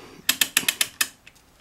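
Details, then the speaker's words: OZ Lifting premium chain/lever hoist being reassembled after brake disc maintenance: holding the chain and turning the hand wheel gives crisp, evenly spaced ratchet clicks, about six a second, and the wheel backs off freely. Healthy pawl action. "you want to hold your chain turn this make sure you hear it clicking"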